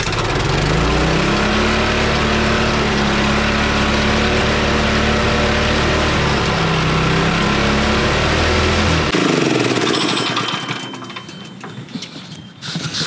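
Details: Honda trencher single-cylinder after new spark plug and oil top-off: catches on choke and settles into a steady, even putter, cutting off around nine seconds; runs fine, though smoking a bit.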